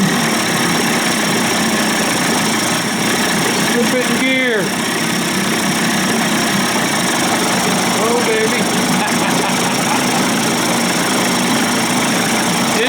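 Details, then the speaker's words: Johnson/Evinrude 25 to 35 hp two-stroke outboard conversion in a test barrel after low-speed timing sync and fuel pump swap, idle set slightly high; busy, even burble with a crisp high rattle on top, no misses or stumbles; running right. "fine tune it in idle speed it's a little little higher now I just with it and I'm barely even touching it I like my Motors to run a little high she sounds"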